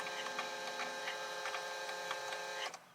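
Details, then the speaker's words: Volvo XC90 D5 diesel, ignition on after a fuel filter replacement: the electric priming pump gives a steady buzz with faint rapid pulsing for under three seconds, then cuts off cleanly. Priming pump working normally. "I'm going to prime it a couple of times until that pump stops working, just like that."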